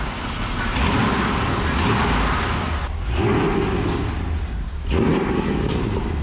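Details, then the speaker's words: 1965 Lincoln Continental with a swapped 7.3L Godzilla V8 and Holley Terminator ECU, idling just after its first start with 64 psi oil pressure: deep, steady idle with an even beat and no knocks or ticks. Healthy. "sounds amazing heck yeah sounds good man"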